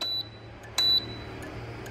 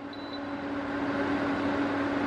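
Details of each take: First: Sevilla SV-212II cooktop that lights its display but won't heat, 220 V present; sharp panel beeps each followed by a crisp relay click with no heating hum; relay coil works, suspected failed relay contacts or cracked solder joint. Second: Sevilla SV-212II induction cooktop after repair: a short beep, then a steady mid-pitched hum with the fan rushing evenly. It heats normally, drawing about 7.4 A at level 8, up to 2000 W per zone.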